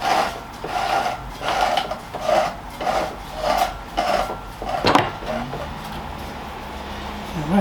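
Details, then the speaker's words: British Seagull outboard, non-running, turned by hand: slow rasping scrapes about every two-thirds of a second; drive shaft sounds gritty, a chunk of metal missing. Cause suspected, not confirmed. "there's there's a little bit of grinding going on a big chunk of metal missing out that there the drive shaft sounds a bit"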